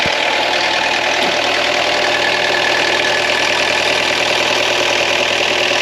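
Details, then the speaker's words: Ex-French Army Peugeot P4 (shares parts with the military G-Wagon) diesel, just started after preheating, first time in probably 10 years: a steady, even clatter settling into a smooth idle with no misses or knocks. A healthy idle. "again so there we go I didn't have to do anything started first time after probably 10 years so that's fantastic"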